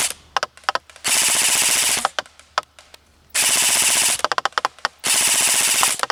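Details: Krytac LMG Enhanced airsoft gun at 345 fps, full-auto firing test at 40 m range with 0.25 g BBs: long bursts of rapid, even, high-pitched buzzing cycles, starting and stopping cleanly; healthy gearbox.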